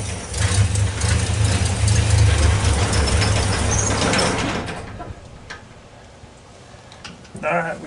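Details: 1964 Ford Econoline van with a 170ci six and points ignition, previously crank-no-start. With the coil resistor bypassed and 12 volts fed straight to the coil, it catches and holds a steady low idle for a few seconds before dying away.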